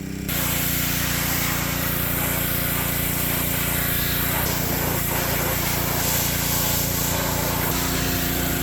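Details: Ryobi pressure washer small single-cylinder engine after fixing lost compression, cylinder soaked with penetrating oil; steady, even drone holding speed while washing under load, no misses or knocks: normal running under load.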